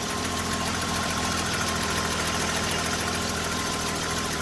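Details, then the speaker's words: BMW E30 after alternator change, engine idling: steady idle with a light even tick and no belt squeak or squeal; new alternator charging well in the okay region, belt drive healthy. "this is a good alternator here too you can hear it there's no squeaking"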